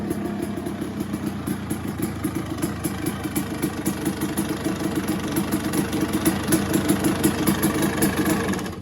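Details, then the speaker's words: 1986 Yamaha YZ250 two-stroke, started after few kicks: crisp, even crackle settling to a steady idle and climbing cleanly on throttle with no misfire; owner thinks it needs only a service; normal running. "Sounds absolutely bang on, absolutely gorgeous. 86 YZ250s with a spare tank and spare rear wheel, with a service."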